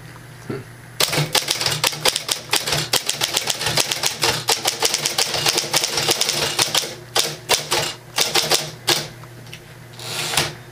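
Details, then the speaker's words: 1960 Smith Corona Electra semi-electric portable typewriter (electric key action, manual carriage), switched on with a small hum: crisp, fast key strikes in bursts with no dragging or sticking. Normal typing action. "so you can zoom in on the type head and you can see the action of the key typing"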